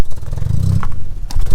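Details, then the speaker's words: Audi S3 with turbo not working at all, during diagnosis: uneven, stumbling exhaust beat with dropped pulses and brief gaps at low revs; misfire, cause not confirmed. "miss firing see that spark plug right there"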